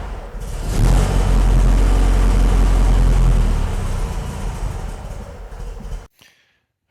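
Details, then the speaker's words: 1967 VW Bug after a carburetor fuel-leak repair that stopped the leak but also let no fuel into that carburetor; fires and runs with a heavy, lumpy low thump, uneven and down on power, only two cylinders firing: rough running, one carb starved of fuel. "the car was not running right as you could tell in that video when I fired it up turns out that my initial repair on that carburetor there didn't leak fuel it also didn't let any fuel into the carburetor which kind of makes the car not run right"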